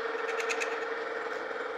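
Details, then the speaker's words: Lucas horizontal boring mill, long boring bar taking about 0.025 in light cut in drilled hole for Morse taper No. 5 tailstock adapter: steady mid-pitched cutting tone with ticking skip; interrupted cut from drill-bit runout. "It's got a little bit of run out from that drill bit. You can hear it kind of skipping as it goes."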